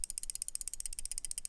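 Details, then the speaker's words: Chaves CHUB flipper utility knife, new out of the box: the replaceable blade flops side to side in its holder and rattles with fast, sharp metallic clicking even when closed in the pocket; loose blade rattle. "so even when it's closed in the closed position in your pocket walking around you hear this rattle rattle rattle rattle rattle Ratt rattle this sound is just terrible"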